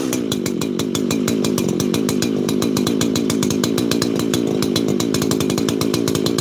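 Crisp, regular two-stroke buzz holding steady speed without stumbles or sags; saw is running cleanly.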